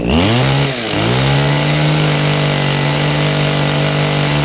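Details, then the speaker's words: Kawasaki two-stroke hedge trimmer after repair work, started on choke; the carburettor has no adjustment: steady high-revving buzz at an even pitch after a brief dip, with no misfires or surging. Normal running. "running it's running better just curious if it is actually a an adjustment on it"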